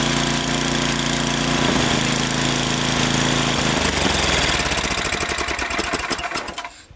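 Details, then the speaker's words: Snowblower after a new spark plug and oil change, fixing surging at idle. Quick, even single-cylinder beat with no hunting or surging before it winds down and stops; a healthy idle. "Alright, so new spark plug and an oil change, and this thing ought to be purring like a kitten."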